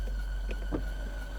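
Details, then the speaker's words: New Land Rover Defender just after wading through about 0.8 m of water: a thin, steady high squeal over the engine rumble from water on a pulley belt making it slip. It went away once the belt dried. "Turns out that that squealing noise was because there was water on a pulley belt, but it's dried off now and gone away, so don't need to worry about that."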